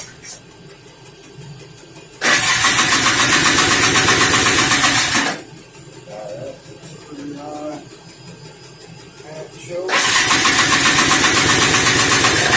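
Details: 1988 Polaris Trail Boss 250 R/ES two-stroke after long storage, gas with added 2-stroke oil: it fires, runs a few seconds, dies, then catches again on carb cleaner spray; the owner plans to take off and rebuild the carburetor.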